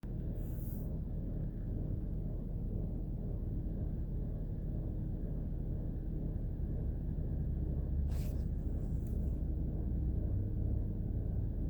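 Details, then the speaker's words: 2006 Chevrolet Trailblazer engine running: steady low growl with faint whirring underneath, no knock or tick; the alternator pulley has failed mechanically and the alternator is being replaced. "so the noise is the bad alternator"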